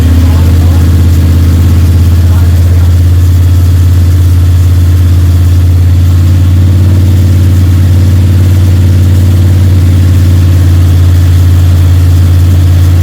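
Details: Freshly built Ford 302 Cleveland V8 with Holley Sniper and new electronic distributor, first start, held at fast idle for cam break-in (~10–15 min), timing around 31°: strong, steady, even exhaust note, no ticking or rattles; healthy normal high idle.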